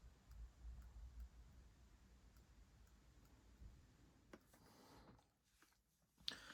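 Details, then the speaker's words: Kemper Power Kabinet (IcePower 300AS1 amp module), powered off, on repower as the bulk capacitor rises; faint hiss with sharp isolated clicks, one at about 13 V then a double just before 15 V; oscillation suspected near an optocoupler, cause unconfirmed. "Like that first click happens around 13 volts, and then the double click that follows happens just before it gets to 15."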